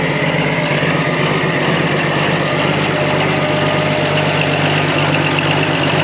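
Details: Old excavator abandoned for years, started on two new batteries; steady even diesel idle with a low smooth beat, no knocks or misses, running healthy.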